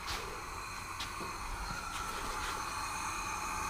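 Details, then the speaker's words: Trophy kart engine that quit at the dunes, leak-down test: piston at top dead center with shop air piped into the cylinder, engine not running. Steady hiss of air escapes through the intake, so compression is lost through the valves, not the piston, possibly past a tight intake valve. "yep oh yeah okay so that could just mean we have a tight intake Val so we know that it's compression lost through valves not piston"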